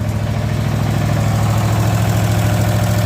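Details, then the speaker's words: Cub Cadet small engine after a new starter and solenoid, carb clean and cleaned, re-gapped ignition coils (no spark before), warming up for an oil change: steady, even idle with no misses or knocks; normal idle. "and then I uh cleaned up the the magnets and there you go she's running I'm going to let it warm up so I can drain the oil"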